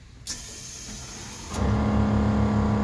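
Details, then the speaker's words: 1972 Chevy truck with air-ride suspension, airbags starting at zero pressure: after a hiss, the pump kicks in with a steady hum and fast, even pulsing while filling the tanks. Normal air compressor operation. "can hear the pump just came on so you want to run the front at about you know sixty to seventy pounds and you want the back it about like 25 to 30"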